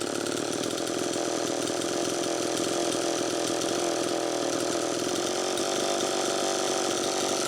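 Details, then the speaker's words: Homelite Super EZ two-stroke chainsaw, second test run after replacing the crank seal: it screams high and steady, with the idle speed screw far out, still indicating an air leak and lean running. "see how far out i have that idle speed screw still screaming air leak"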